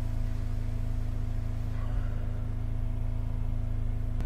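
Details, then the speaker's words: Holden Captiva V6, cranks but won't start, at fast idle during a power balance test: deep, lumpy droning pulse; disabling 1, 3, 5 drops rpm, 2, 4, 6 change nothing, so that bank's three cylinders are dead. "so one three and five noticeable differences two four and six nothing so we've lost two four and six that's proved by this Power Balance check that we've just done"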